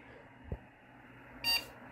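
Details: PC powering on after a part was moved to another slot to try to fix a CPU fan error: one short high beep at startup. The CPU fan error persists, and the machine only boots after pressing F1.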